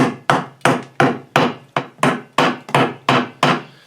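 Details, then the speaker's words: Massey Ferguson GC2300 tractor wheel off, tire fluid-filled: sharp crisp hammer taps about three a second ring cleanly on a semi-hard section of the rusting rim with minimal corrosion, showing solid metal. "You know what? Here's an almost semi-hard piece over here, like minimal amount of corrosion"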